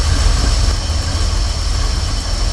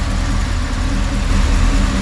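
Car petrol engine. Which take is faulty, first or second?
first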